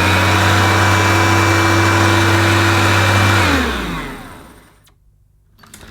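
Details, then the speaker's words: Dirt Devil RoomMate DD760 bagless upright vacuum (230V, 50Hz, 250W) with its brush roll spinning: a steady motor hum that winds down smoothly at switch-off. The brush roll rotates fine, though it is untested on plush carpet. "that seems to rotate fine. Whether it's going to continue to rotate on this plush carpet, I'm not sure, but we'll give it a go."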